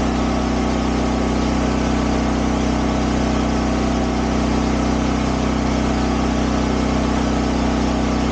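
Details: Champion dual-fuel 8000 W generator (model 201035) running on propane; smooth, even drone with a steady beat and no misses, knocks or surging; normal generator run.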